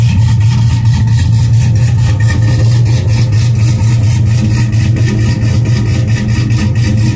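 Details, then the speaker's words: 2002 GMC Sierra V8 cold start after sitting a couple of days, before a tow/haul stalk switch wiring repair: deep, steady idle with an even low rumble and no knocks or ticks; normal cold start idle. "have a little hoola girl shaking up here so anyway man that sounds good doesn't it"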